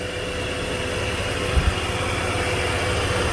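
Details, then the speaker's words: 2006 Dodge Ram 1500 quad cab, 3.7 Magnum V6: steady, quiet idle with even low hum, no knocks or ticks; runs good and quiet, sounds healthy, normal idle. "I figured it'd be a V8. Runs good though. Runs good and quiet. Sounds good."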